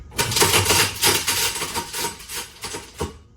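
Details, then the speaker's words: Garbage disposal plugged back in and running with a screw still trapped inside after it could not be found and removed: uneven metallic clatter in bursts about four a second as the screw bounces in the chamber. "So you can hear that there's still a screw trapped in there."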